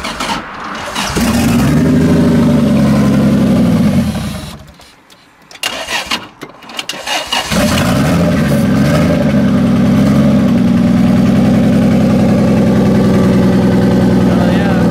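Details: 1JZ-swapped Nissan 240SX started after rewiring and radiator fitting: catches quickly, settles into a steady, even idle, restarts cleanly after a brief stop and runs smoothly; healthy.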